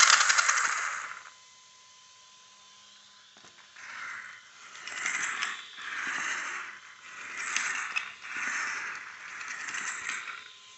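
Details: Savage XS truck running: a scraping grind in rough bursts about once a second; source not traced, and the owner is unsure whether to be concerned.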